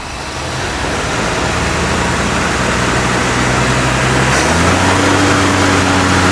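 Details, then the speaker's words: 1956 Buick Century with a freshly professionally rebuilt V8 at raised fast idle during break-in, rear wheels chocked, running off the tank; steady, even, smooth firing with no knocks or misses, idle steps slightly higher partway; temperature hovering about 195°, healthy. "I'm just going through like the breakin process on the engine. So that's why the idle is up."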